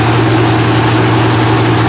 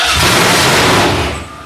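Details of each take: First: Freshly rebuilt Holden 308 V8 on a part chassis on first start: deep, steady idle with an even beat and no misses, knocks or ticks. Normal idle. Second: Freshly rebuilt Holden 308 V8 on a part chassis at first start: loud, ragged cranking with no firing that dies after about 1.5 seconds, with no fuel reaching it. Cranks but no start, no fuel.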